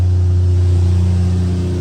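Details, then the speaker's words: Toyota Soarer after swapping in a junkyard coil pack for cylinder five: petrol engine runs with an even, steady low hum, no stumble; misfire gone, tachometer still not working. "that still doesn't work but there's no more misfire engine sounds really good so i'll have to figure out the tech issue"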